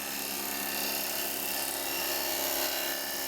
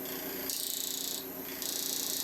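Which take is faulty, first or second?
second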